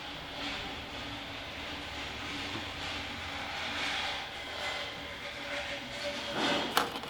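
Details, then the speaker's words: M32 gearbox from an Astra VXR during a rebuild: an old pinion bearing, removed and spun by hand, gives a gritty, uneven rumble with fine rough clicks. The races are pitted and dull. "you can see that this bearing is really really pitted your the the pit marks in there all the dullness lines and you can probably hear quite noisy as well"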